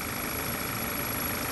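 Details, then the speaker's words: Audi/VW 2.0T on first startup after an engine rebuild with a new breather: steady high airy hiss with a ringing edge at idle, heard when a vacuum hose is disconnected; intake or crankcase vacuum leak, source unconfirmed. "if i disconnected this line right here you see there's vacuum coming through this hose there it is again you hear the ringing"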